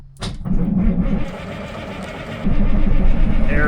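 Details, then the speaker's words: 1978 Kenworth K100 cabover diesel truck, sat for many years, fresh fuel added, cranking on three good batteries: strong, steady starter churn about four turns a second with no slowing or dragging; healthy normal cranking. "Okay, that's a nice crank."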